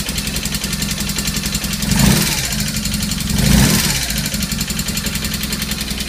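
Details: BMW R1200S twin idling after a valve adjustment, blipped twice: a light, fast ticking on top. Owner unsure if it's normal.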